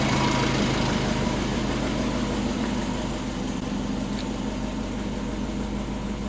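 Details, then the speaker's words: Built turbo Subaru Forester engine, first start after a rebuild; the oil has stopped dripping. A smooth, even low thrum with no knocks or ticks, sounding much better: normal idle. "oh my God Hoops better and the oil has stopped dripping so either I fixed it or there's no oil in it but that sounds so much better"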